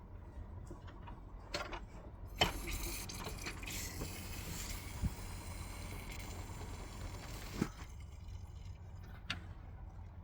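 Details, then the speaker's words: Isuzu D-Max 4JJ1 after main fuel filter replacement: quiet fuel gurgle with soft clicks as the hand primer is pumped; fuel is moving normally, purging air before start. "As you can hear, it's pumping around. That'll mean that we don't get any air in the fuel system when we start it."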